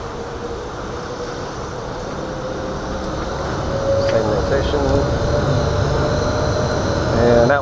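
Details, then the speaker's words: Booth exhaust fan at startup, rotation checked correct: soft start ramping up over about 45 seconds, a steady, even hum building smoothly without rubbing or rattles; fan running normally. "let's give it a second to kick in these take about 45 seconds to ramp up we do a soft start just to kind of keep everything balanced on the inside"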